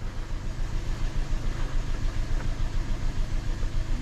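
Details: Hyundai running with number one fuel injector deliberately disabled and in-cylinder pressure transducer fitted (just below 50 PSI running): lumpy, loping idle, uneven beat about three per second under wind noise; dead cylinder misfire.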